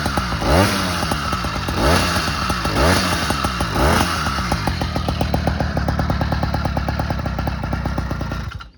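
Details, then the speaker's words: Motorized bicycle two-stroke engine, before fitting a reed valve, Mikuni carb and windowed piston: crackly firing stumbles, then dies, because the clutch engages a little and stalls it. "Yeah, the clutch engages a little bit, so that's why it stalled a bit."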